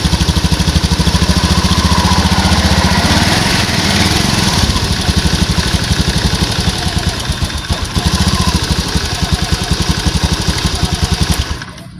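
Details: Honda Scoopy after repair of a melted, loosened ECU socket that cut the electrical path and stopped starting: even, steady single-cylinder putter with no misses, knocks or rattles until shutoff; running normally.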